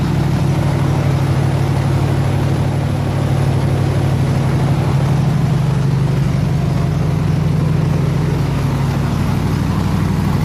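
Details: 302 V8 air-compressor engine, warm at 160 degrees with 9 psi fuel pressure, on re-ended plug wires: deep, steady, even rumble with no misses, knocks or ticks; running smoothly and healthy.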